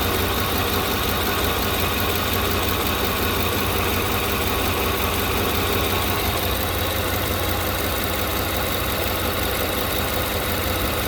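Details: Engine idles steadily with an even, low hum and no knocking or ticking after removing a noisy vacuum pump that sounded like bad lifters; brake booster teed to intake, catch can connected to PCV valve.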